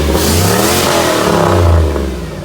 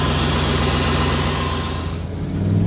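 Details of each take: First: 2001 Chevrolet Silverado 6.0L V8 with a newly fitted big truck turbo: revs climb and settle smoothly with even firing and no knocks. The exhaust gets loud with rpm, and it is thought to run rich or lean. Normal revving. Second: 2001 Chevy Silverado 6.0 L three-quarter-ton pickup fitted with a big truck turbo: engine pulls up through the revs, rising in pitch, exhaust roaring loud under boost, then drops away; possible wastegate venting, crew suspects it runs lean with RPM, maybe fuel pump.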